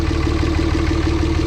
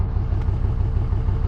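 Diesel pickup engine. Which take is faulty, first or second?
second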